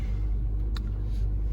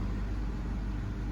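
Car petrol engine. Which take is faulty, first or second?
first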